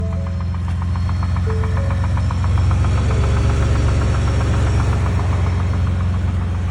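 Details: 2019 Shelby Baja Raptor at idle: fast ticking knock, about four per second, over the engine note from the engine bay; cause unclear.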